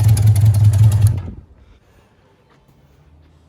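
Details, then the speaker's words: 1982 Suzuki GS650 Katana motorcycle with cleaned carbs, fresh gas and a new fuel line: low, uneven idle loping at about 160 beats a minute, then it dies; rough idle loading up before stalling, cause unknown. "i don't think it's very happy doing the same thing it was before [Music] and it's gonna shut"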